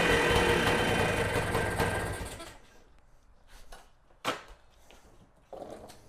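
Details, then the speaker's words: Kawasaki KE175 two-stroke motorcycle, just out of storage, started with carburetor cover off after draining old fuel and refilling; crisp, even buzzing rattle for a couple of seconds before shutdown, running cleanly, normal running. "so you could hear it there i was able to go ahead and get it started i did that with the carburetor cover off just to make sure i could see everything was in here"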